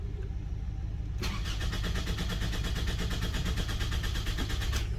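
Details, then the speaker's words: 2005 Toyota Camry with a crank-no-start problem: even starter cranking at about two beats a second for nearly four seconds, never catching. Immobilizer permit start has reverted to "no go" after it died, so the immobilizer is blocking the start. "uh oh now that same permanent spark no go wow all right then we'll sit here and wait for another six to ten minutes and see if it switches to uh okay again"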